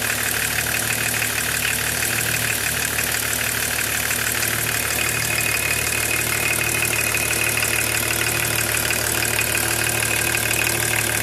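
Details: BMW E36 325td diesel at idle: bright regular clatter about three per second over the drone; abnormal engine noise, cause not evident.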